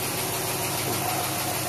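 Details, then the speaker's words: Willys truck, first start after a rebuild and 12 months sitting, cold day: steady, even idle with no misses, knocks or hunting, getting quieter and running on all cylinders, no stuck injectors; normal idle. "yeah real quick last time took a good 20 minutes for the idle C now now it's getting quieter sounds like it's running on all cylinders"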